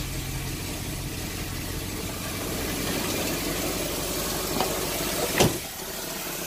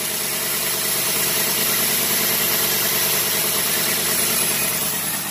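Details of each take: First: 1990 Cadillac Sedan DeVille, start after timing set (10° BTDC with OBD jumper), still cold; fairly even idle with a raspy hiss from the disconnected catalytic converter air tube, an exhaust leak. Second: 1990 Cadillac Sedan DeVille, timing just set to 10° BTDC, with a bare exhaust leak at the air tube near the cat: even, steady idle with a smooth rhythm and no missing beats; it is idling properly.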